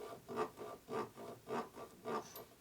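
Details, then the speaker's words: Revtech 4-speed shovelhead Harley transmission (1970–84, ratchet top) during rebuild, turned by hand: rhythmic rasping rub about twice a second on one side; suspected gear teeth rubbing on the case, not confirmed. "that's called teeth rubbing on case least I'm guessing that's what that is"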